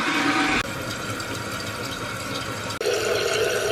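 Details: Toilet after replacing faulty fill valve/float that kept running: steady hiss of water rushing into tank, pitch shifting as it fills, no hammering or squeal; new fill valve refilling normally.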